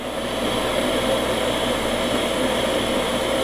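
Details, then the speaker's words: Steady, even motor hum with smooth airy hiss from a septic system jet aeration pump after overhaul, running with no vibration and sounding much better; normal running. "sounds good no vibration sounds way better now"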